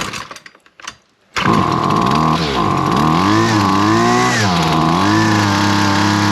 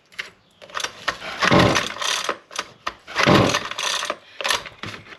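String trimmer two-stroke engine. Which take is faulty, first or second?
second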